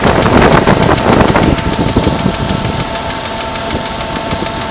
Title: Strange ticking noise 92 Jeep Cherokee